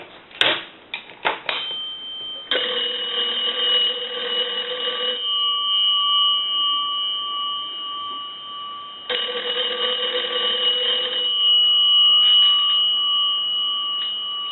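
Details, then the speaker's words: Kellogg wooden wall crank telephone after repair, rung with analyzer: two bursts of rapid even bell clatter about two and a half seconds each, strong and steady; ringer works properly. "I'm sure there's people going to walk up to this telephone and crank it and watch the bells ring"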